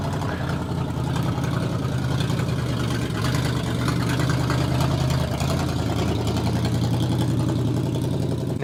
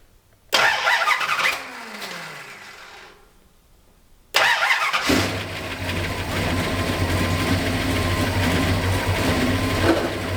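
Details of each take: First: 1969 Dodge Charger V8, original engine first fired up after sitting for years: steady even low burble at idle with no knocks or misses; runs smoothly. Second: 1969 Dodge Charger after sitting for years, fresh cam swap still on break-in oil, new fuel system, timing never dialed in: long crank, brief catch that dies, then an uneven lumpy idle; owner suspects the carburetor.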